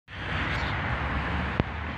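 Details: Car engine running steadily, then a single sharp clunk and crunching clicks on pulling away in reverse, caused by the rear engine mount bolt having come loose.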